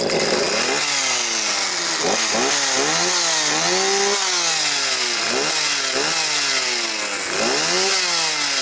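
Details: Stihl 029 chainsaw after replacing broken clutch springs, which had let the chain spin at idle and on starting; even revving blips, clean pickup and steady high-speed note with no misfire, clutch no longer dragging. Chain still not oiling, hose suspected.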